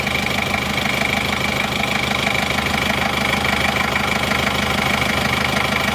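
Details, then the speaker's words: 1990 Chevrolet Trooper diesel, fully warm at 75 °C with new thermostat replacing a stuck one: even diesel clatter at steady idle, no stumbles, no smoke from oil cap or exhaust; normal idle. "ini suaranya halus dan renyah dari sini gak kelihatan asap juga"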